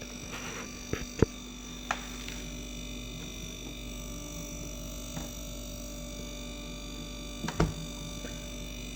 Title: Samsung dishwasher buzzing noise during sanitize